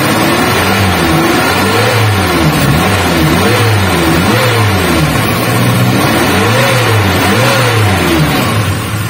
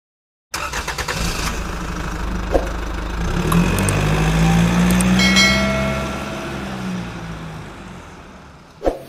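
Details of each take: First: Suzuki Katana/Carry 1000 after repairing a worn distributor that caused stuttering on acceleration and uneven idle; clean throttle blips rise and fall smoothly, no stumble, idle now smooth without shaking. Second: Suzuki Katana/Carry 1000 with stuttering under acceleration: cranks, catches, then slightly uneven idle with wavering revs; play in the distributor causes irregular points (platinum) gaps and poor ignition, fixed by repairing the distributor.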